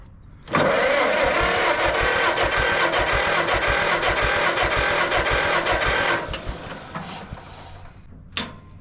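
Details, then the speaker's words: 1950 John Deere model MT, two-cylinder engine, battery charged and rewired positive ground, cranked with choke: fast cranking about 2.5 compressions a second, no catch; too much choke, possible gas smell, owner suspects wet points. "too much choke Maybe I'm smelling gas I think our points might be a little wet"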